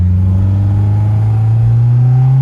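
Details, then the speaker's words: Honda S2000 project car, sat for years, suspected fuel injector trouble, now running right for the first time: smooth rising engine note under strong acceleration with no stumble, blowing carbon out of cylinder 3. "This thing has a lot of power, actually, you know, for what it is. What an awesome car."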